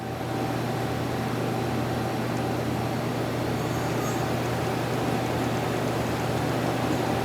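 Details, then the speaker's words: 2011 Mazak QTN 250-II CNC turning center, 10" chuck, 4000 RPM max spindle, spindle running at 1500 RPM: steady low, smooth hum, very quiet, no knocking or grinding; normal spindle running. "That's 1500 RPM."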